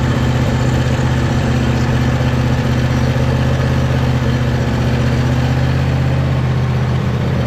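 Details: Neglected 2018 John Deere E180 riding mower, choked, running on fuel squirted into the carburetor: steady low rumbling idle with an even beat and no misses; fuel pump setup suspected, not confirmed.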